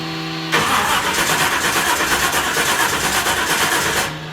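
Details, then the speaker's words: 1966 Pontiac LeMans V8 parked three years, new battery fitted, fuel pump relay on, fuel pressure unknown: starter cranks about 3.5 seconds with uneven beat near three per second but never fires; no start. "Let's make sure we crank it a couple times. Let's see if we get some oil pressure and get some action out of this thing."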